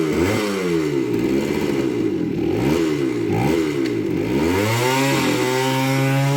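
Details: 1978 Kawasaki KE100 two-stroke, first start after fitting a new carburetor, choke on: buzzy note climbs and falls cleanly with each throttle twist, then settles into a steady higher rev; engine running healthy, though clutch slips.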